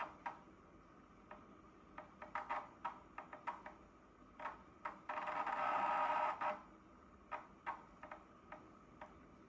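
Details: Dyson PH04 purifier humidifier (replacement unit, about a year and a half old): irregular sharp ticks and clicks over a quiet fan with short buzzing bursts every few seconds; intermittent, cause unknown.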